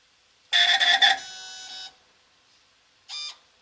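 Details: UGOT Apollo DIC C5 multisampler valve: shrill squealing bursts, one long and one brief, as it initializes and switches inputs while running Clean Valve in the software. The valve is screeching.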